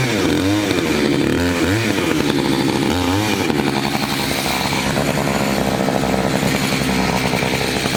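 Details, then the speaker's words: Two-stroke chainsaw of roughly 50–60cc (owner unsure, maybe 58), 3/8 pitch chain on a 24-inch bar, on its second tank and barely broken in, cutting old wood: a high scream dips and recovers as it bites into wood, then holds strong revs, normal cutting. "but it seems like in pull the throttle it just keeps giving you power you can just keep pushing right through"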